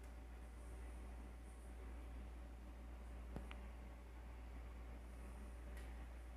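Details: Air conditioner: a steady low hum throughout with two sharp isolated cracks about two seconds apart; the unit is noisy and crackling, cause unclear.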